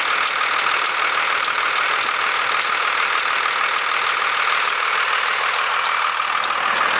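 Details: 1991.5 Dodge Cummins diesel at idle: uneven chatter over the run that disappears as rpm rises; tensioner visibly bucking at idle, cause unclear.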